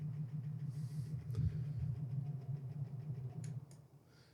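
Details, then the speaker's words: Lasko Wind Tunnel circular fan motor after cleaning with isopropyl alcohol and a little oil: grinding gone but still humming low and heavy with a throbbing pulse about three beats a second. "It's better, but it's still making that noise. Just added a teeny little bit of oil up there."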